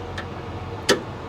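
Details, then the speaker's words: Vehicle with starter jumped by screwdriver: one sharp click over a quiet background, nothing turns over; solenoid clicks without cranking, bad starter solenoid or corroded terminal suspected, not confirmed. "It didn't even... I mean, it's clicking. Off and on, off and on."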